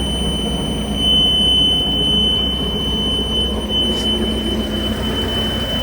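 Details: Mariah SX-18 boat with Mercruiser 3.0 engine: a steady high-pitched warning buzzer that normally sounds only before starting keeps beeping after start-up; the engine runs smoothly with no other problems, and the cause is unknown.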